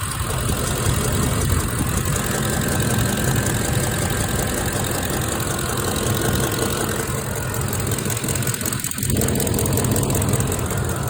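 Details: 2006 Ford F150 5.4L V8 idling with a light, quick ticking over its low rumble, seemingly from both sides, louder when hot; driver side sounds like chain rubbing; passenger valve cover, rockers and camshaft looked good.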